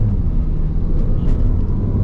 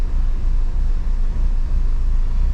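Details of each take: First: Mini Cooper that would not accelerate and misfired, after DME internal fault and DME reprogramming: road test, steady even engine drone under road rumble with no stumble or miss; much more power, misfire gone, running normally. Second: Mini Cooper, about 2008, that won't accelerate: idle is uneven, lumpy and shaking with an irregular bad misfire; throttle pedal and voltage check fine, no fault codes stored; DME internal fault later addressed by programming.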